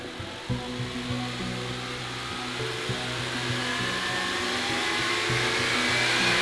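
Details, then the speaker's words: Rebuilt 2010 Honda Accord after timing work, first revs after idling: engine climbs smoothly from idle, even pitch, no knocks or rattles; loud idle ticking noted was attributed to injectors, not lifters. "We let the car idle for a little bit while trying to check everything, making sure that nothing was leaking or sounding off. Then we gave it some revs to test it."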